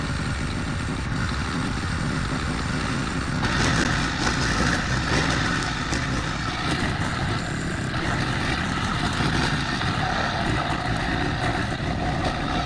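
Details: Probably early-to-mid-2000s Craftsman brush mower after 3 years unused, revived with carburetor rebuild, air filter, spark plug, oil and strings: single-cylinder pulls hard and steady through thick tall grass, cutting swishes over a strong even beat; normal under load.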